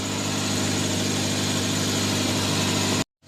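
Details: Mazda 3 that had suddenly died and only cranked, after repairing chafed wiring that blew a fuse: engine settles into a smooth, even idle with no misses, knocks or rattles before shutting off.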